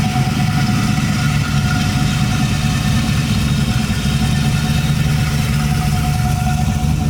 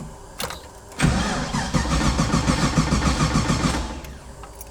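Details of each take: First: LS-swapped Nissan 240SX, just started after rebuild work, fired with barely a turn of the key: steady, deep, even idle with smooth rumble, no misses, knocks or hunting; normal idle. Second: Nissan 240 with swapped GM LS V8 (350 cu in, Corvette fuel pressure regulator): strong, steady cranking but no start because the ECU loses power during cranking. The ECU is fed from an ignition wire that drops out while cranking.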